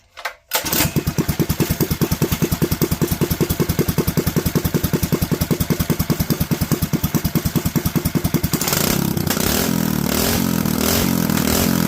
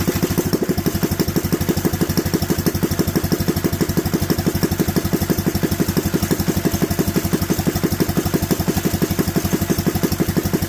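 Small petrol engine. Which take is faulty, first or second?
second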